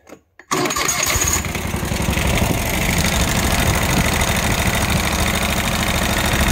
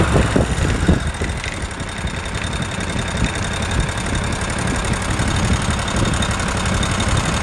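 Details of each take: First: Kawasaki FH601V V-twin on a Scag Tiger Cub mower, 1700 hours, after repair of governor over-revving, oil leaks and a worn plate that clanked like rod knock: fires up and runs steady and even, no knocking or surging. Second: Kawasaki FH601V 19 hp on a 1700-hour Scag Tiger Cub with a runaway governor: an irregular metallic clank over a steady rumble, blamed on a worn plate, not rod knock. Clanking noise.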